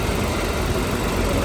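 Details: Nissan Almera dual-fuel (petrol/gas), CVT, repaired after a no-start, warm after about two hours running with radiator fan on; smooth even idle with steady low hum and fan whoosh; healthy idle.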